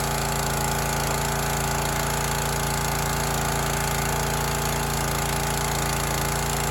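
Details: Teande 4200 psi pressure washer, Rato 209 cc Honda-clone engine, running with water connected after an obstruction near the flywheel was cleared and cleaned: steady, even chug at constant speed with no knocking or scraping; runs smoothly.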